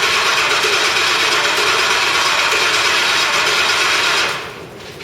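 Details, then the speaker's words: Ford Crown Victoria after full engine rebuild, ECU fuse pulled: about four seconds of even, fast starter whir with no catch, then stops; cranked deliberately without firing to prime oil before the first start. "right now we've got the uh the the computer fuse pulled so it won't actually start so you think or so we think yeah um what we're going to do is we're going to rotate a whole bunch of oil through the engine from just little the starter"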